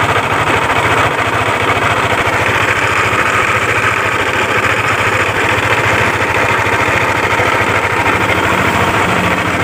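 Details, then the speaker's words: Yamaha Aerox scooter at steady idle with a busy rattling knock at about two beats a second, loud near the CVT case and primary pulley; cam chain, tensioner, camshaft bearing and rocker arm were checked and found fine; worn con rod and crankshaft bearing. "Baiklah, jadi sekilas suaranya seperti suara rantai keteng kendor ya, seperti suara bearing noken as sudah koplak, dan seperti suara rocker arm sudah bermasalah ya."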